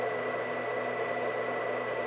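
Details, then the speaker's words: White Xbox 360, believed Jasper revision with extra GPU heat pipe, running: steady loud airy whoosh with fixed high whistle, no cycling; cooling fan much louder than remembered but console working. "it's freaking loud but it's a white working xbox 360"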